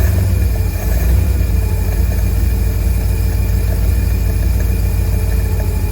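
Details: 1952 Cadillac Series 62 V8 idling after a full carburetor rebuild, no adjustments yet: deep, even, steady idle with no stumbles, pops or misses; it backfired a couple of times, which the owner suspects is timing.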